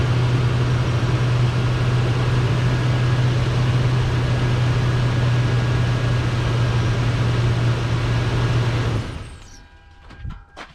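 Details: 2001 Toyota Sequoia while turning: steady low engine drone giving way to scattered knocks and sharp clunks; cause unknown.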